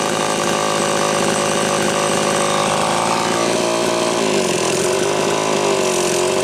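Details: Homelite Super XL chainsaw test run after a loose cylinder nut (cylinder gasket issue) and filed, gapped points. It screams at high revs and holds steady pitch, bogging slightly into the cut then recovering cleanly; runs well, still being retuned from slightly lean.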